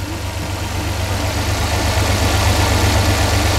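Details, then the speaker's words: 1999 Dodge van after a spark plug tune-up: even steady idle pulse with no stumble or shake, firing cleanly on all cylinders. "I'd say that thing sounds a whole lot better [Music] sounds like she's firing on all cylinders"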